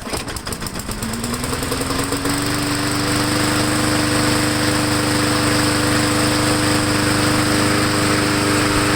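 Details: MTD 22" walk-behind mower after repair, air cleaner refitted, started on the ground for warm-up before an oil change: catches after a few rough coughs, then settles into a smooth, steady drone; running healthy.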